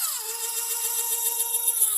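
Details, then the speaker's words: Ozito brushless hammer drill; after running the chuck lock fully to unlock and switching back to forward, steady clean motor whine with no grinding, running smooth. "Oh, oh, oh, tapos smooth na, 'di ba? Ayun oh, smooth oh, wala na yung sound. Hindi na gumagaladgad."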